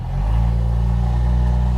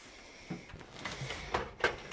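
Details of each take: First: Jeep YJ Wrangler with a 1973–74 AMC 304 V8, previously seized and freed, running with exhaust and muffler missing after the catalytic converter. Very loud, deep, booming unmuffled drone. Exhaust needs replacing. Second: Jeep YJ Wrangler after fitting a new aftermarket exhaust with the pipe end cut shorter: a few clicks, cranking, a quick catch, then a low, even, quiet idle. Normal start and a healthy exhaust.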